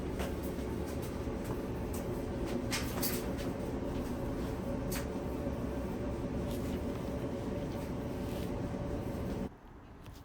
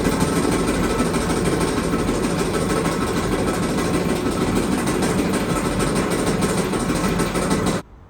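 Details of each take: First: Dryer after repair, lint filter reinstalled: even, quiet hum with light tumbling ticks, no rumble or scraping; the dryer now runs smoothly and quietly. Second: Clothes dryer: constant loud, rough rattling and rumbling while the drum turns, cutting off sharply at shutdown; loud noise from a worn part in the drum drive, to be traced after removing the lid.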